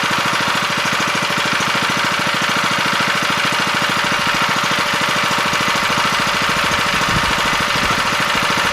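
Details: 7 HP Kohler air-cooled engine on a hydraulic power unit, unused for at least two years, after carburetor cleaning and setting idle speed and the mixture screw by ear: it runs at a steady speed with an even beat and no surging or misses.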